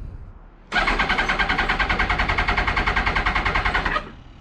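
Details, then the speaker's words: 2000 Yamaha R1 4XV running poorly on three cylinders, leaking carburetors: starter churns at an even, rapid beat for about three seconds but the engine never fires; likely no petrol reaching it. "go don't even want to start up five minutes later come on me probably no petrol because they had the carburetors leaking"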